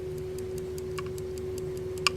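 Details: Telenorma German electrically wound mantle clock movement, possibly 1970s–80s: steady light ticks about twice a second over a faint hum, coil periodically energizing armature to rewind tension spring; movement running normally.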